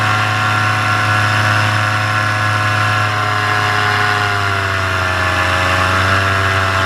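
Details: Paramotor in flight just after launch, full fuel tank, motor under an hour of flying time, full throttle: high, steady two-stroke drone with only a slight drift in pitch; healthy, before the later bogging and failure.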